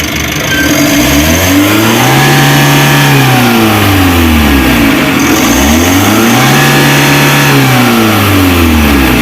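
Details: Mitsubishi L300 Euro 4 diesel at about 4,000 km, complaint of weak power on climbs: free rev climbs smoothly and drops back cleanly twice; maladjusted clutch pedal switch limited revs to about 3,000 rpm, clutch switch setting blamed.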